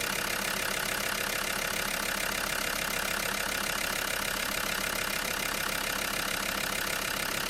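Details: Land Rover Discovery 2 TD5 diesel, first start after replacing the fuel injector wiring harness, engine covers off: steady idle with an even, regular tick of two to three beats a second and no misfire or stumble. A healthy idle.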